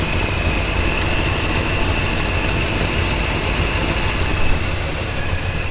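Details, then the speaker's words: Route 66 Buick V engine idling after coolant refill, thermostat not yet open at about 160°; rapid puffing tick in time with firing from an exhaust leak, owner suspects down pipe gasket or manifold gasket. "we should be good to go you guys hear that exhaust Le kind of sucks"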